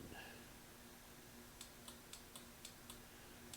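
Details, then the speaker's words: 1993 Yamaha Riva 125 (Beluga) scooter that won't start: pressing the starter button gives faint sharp clicks about every quarter second from the starter relay, and the starter never turns; power reaches the relay but not past it. "so sounds like this relay is the one that's clicking if I put my finger on here and push the button I can feel it click click click"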